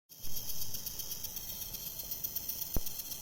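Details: HP Pavilion 15 laptop dismantled to a bare motherboard with minimal attachments: a thin, steady high-pitched screech with a faint fluttering pulse, like an insect, that persisted.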